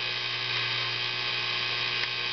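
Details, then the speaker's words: Tube guitar amp during an oscillator/tremolo circuit build: loud steady hiss with faint low hum, radio interference picked up by two pots' unconnected wires feeding the oscillator tube; the hiss changes as the pots are turned. "as I actually turn the pots, the hissing, it changes. And these wires aren't hooked up to anything."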